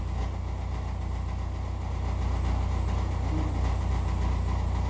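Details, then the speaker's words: Chevrolet Equinox, seven-year-old GM muffler, at idle: low, even puffing about three beats per second from exhaust leaking at the split resonator muffler seam; later fixed with a replacement two-chamber muffler. "got uh the exhaust patched up uh the resonator muffler uh had split the seam so we just threw another uh two chamber uh small muffler in its place"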